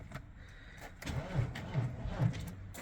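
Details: BMW X5 that had no crank, no start: soft uneven cranking pulses about two or three a second, then the engine catches and starts normally after a disconnected battery ground was reconnected, though the battery is low.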